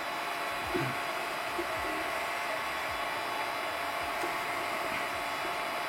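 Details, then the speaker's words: Magma 250 3D printer, apparently with TMC2208 stepper drivers, printing normally: only an even fan hiss, with no stepper whine, buzz or clunks. "Elle ne fait aucun bruit, mis à part les ventilateurs. C'est époustouflant."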